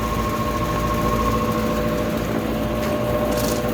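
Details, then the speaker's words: Old Lennox HVAC unit on no-cooling call, fan motor felt tight, jumped out to run in about 80°F space: constant hum with high ringing and rough grainy undertone; worn fan motor bearings, expected to fail soon. "i don't know how well you can hear but that's a bearing noise from that motor that motor's gonna run for a little while and stop i can almost guarantee it"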